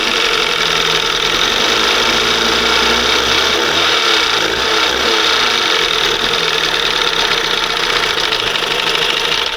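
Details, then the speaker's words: 1971 Johnson 20 HP two-stroke outboard after removing the failed OMC primer pump and fitting a conventional carburetor: steady, even two-stroke buzz with no misses or knocks; normal running, the primer pump having been the fault. "So that's what it was. That primer pump, man. She sounds pretty good."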